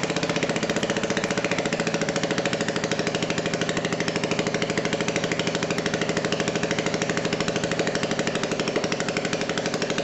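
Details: Old BSA 220cc single-cylinder stationary engine running after repair and first electric start: crisp, regular firing beats at steady speed with no misfires or gaps; runs cleanly and evenly, normal.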